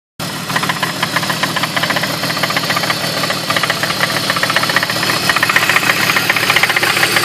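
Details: 2003 BMW E46 with rough idle persisting after new spark plugs: steady light ticking knock, two or three a second, from the front of the engine; owner suspects the slightly leaking water pump, source unconfirmed.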